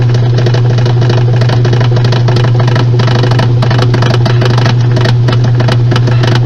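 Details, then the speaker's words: Washing machine on spin cycle: heavy low drone with uneven knocking and rattling and abnormal movement from a completely damaged transmission that must be replaced. "este ruido es de una transmisión que está completamente dañada y este movimiento es totalmente anormal esta transmisión hay que reemplazarla por una nueva"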